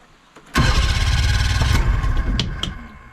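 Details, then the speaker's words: Old Johnson Evinrude outboard on a 1966 14 ft Hourston Glascraft, first start attempt with the key: rough chugging turnover for about two seconds that fades without catching ("getting close"). Fuel tank to be primed again; cause suspected, not confirmed. "well I tried to start oh it's getting close"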